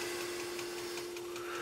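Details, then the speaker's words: Magnum Energy 2000 W pure sine wave inverter in a solar backup system with 27-series parallel batteries, idling in search mode: a quiet hum with faint light clicks about five a second. Normal. "oh yeah looking good you can hear that little clicking noise that's inverter and the and the sine wave inverter doing its thing and it's searching and all that good stuff"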